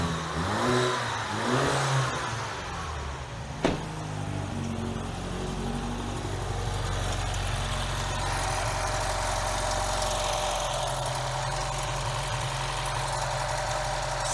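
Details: BMW 116/316 engine after repair of a belt-like whistle from the engine: cranks, catches and settles into a steady, even idle with no whistle or hiss.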